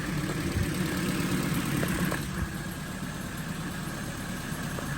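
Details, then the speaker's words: Vauxhall Astra rescued from scrapyard, previously making a horrible exhausty rattle (one bolt still missing; loose timing chain found earlier): now a steady, even idle with a low smooth hum and no rattle; normal idle, problem gone. "If it makes that horrible kind of exhaustly rattling noise, then we have failed. Oh my god, it's not doing it."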